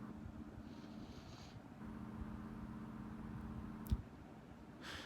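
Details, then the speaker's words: Honeywell 12-inch desk fan, circa 1999–2004, on lowest speed: very quiet even low hum with no rattle or ticking; motor running smoothly and healthy. "Start it on the low speed. Listen to that. That is very, very quiet. That's not bad."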